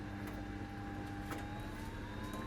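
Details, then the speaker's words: Samsung WD90K5B10OX washer dryer after welded ballast and hose repairs, drying cycle: soft steady hum with gentle whine rising as the fan spins up, tub turning, heat felt; normal dryer fan operation. "yeah I can hear that fan starting and I can see the tub spinning it might be onto a winner"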